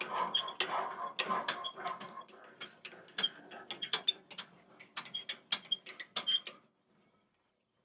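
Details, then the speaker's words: Sawmill head lift crank after replacing failed thrust bearings (previously crunchy and grindy), bearings tight and freshly greased: irregular squeaky creaks and light ticks, no grinding, slightly stiff; normal after repair. "See how nicely it works. Well, it seems pretty smooth anyway. Maybe a little tougher because I got the bearings actually tight, and there's some grease in there, but oh."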